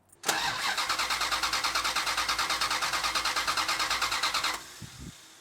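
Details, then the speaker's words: 1971 Plymouth Satellite, clutch in, key on: starter cranks evenly about three turns a second with no firing or spark; crank-no-start traced to an ignition wire that came off. "Maybe I knocked something loose. I didn't hear it trying to spark at all."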